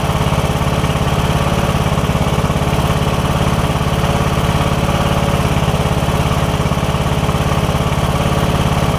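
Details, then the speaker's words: Briggs & Stratton OHV single-cylinder riding mower engine, which had been hard to turn over (camshaft compression release suspected), running even and steady at constant speed with no knocks or surging during a test run; sounds normal. "all right that sounds good we're going for about a minute now do a thing for a minute and then we'll put everything else back together"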